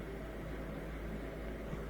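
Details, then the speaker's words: Miele Incognito dishwasher with F-08 error, previously circulating 10 seconds then pausing: steady low hum with water swish, no on-off cutting as more water fills; circulation pump running normally. "but i think it's continually circulating now as it fills in more water we should hear it shooting around even more and more there we go"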